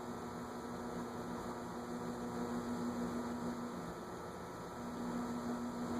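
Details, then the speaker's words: Envirofan Gold Line 160F-7 industrial ceiling fan (c.2013) on a solid-state speed control: steady low electrical hum at one even pitch under a soft fan whoosh; louder than another fan's but a normal solid-state hum. "It's definitely louder than the other one was without it. The other one you couldn't even hear the hum, and this one you hear it. But it's a normal amount of solid state hum."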